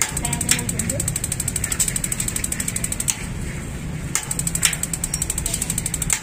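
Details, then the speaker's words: Magnet-type gas water heater tested without gas: rapid sharp ticking of spark igniter with solenoid clicks over low hum; ignition circuit working normally after long disuse. "Nah itu model magnet ya fungsi ini tik tik tik tek jadi cepat ya tikteek langsung"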